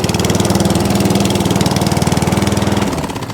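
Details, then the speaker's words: ATCO 14S cylinder lawn mower, no fuel tap, started on choke; quick, even firing pulses at steady speed with no misses or knocks; runs lovely, normal running. "So that one works lovely as well. So that's four that run absolutely beautifully."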